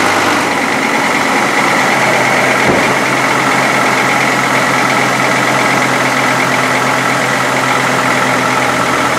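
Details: 2005 Chevy Colorado, over 400,000 km, blue smoke on startup, first start after valve cover gasket and PCV valve replacement and cleaning: steady, even idle with a smooth hum and no knocks, misses or hunting; healthy and settled.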